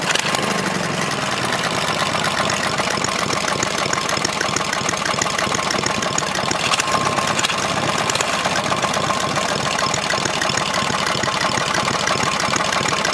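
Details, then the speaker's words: 18hp opposed twin engine, fast even idle with a sharp repeating knock, seemingly from the rear of the block and not worsening with rpm; owner suspects rod knock or top-end bearing; engine also leaks at the bottom. "uh but anyway sounds like rod knocked me which i can probably fix but like i said it means i gotta tear the whole engine apart"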